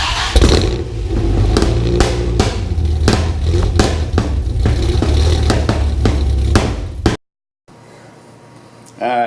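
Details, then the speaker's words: Dodge Viper V10, first start after engine install, spark plug wires 7 and 9 mislabeled and crossed; owner also suspects faulty idle air control, oil burning off manifolds and headers: rough uneven running with sharp pops, then dies; misfire from crossed plug wires. "had a couple of farm bug wire mislabel seven and nine bad handwriting well it does not want to idle right now"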